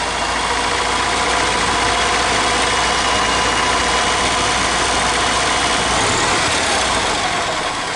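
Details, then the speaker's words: 1995 EZGO Workhorse gas cart, no start after sitting all winter, fixed by replacing fuel filter and too-short fuel lines and priming the pump: loud, steady even putter, no misses or knocks; small engine idling normally. "so it seems to be running"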